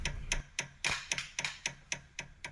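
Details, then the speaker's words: Chassis under a pry bar: sharp, regular metallic knocks about four per second as the sway bar end link is levered. The end link sits against the lower control arm, causing clunks on rough roads and body resonance. The fix is remounting the end link flipped, behind the arm. "这种声音，明显就是出现敲击的声音。"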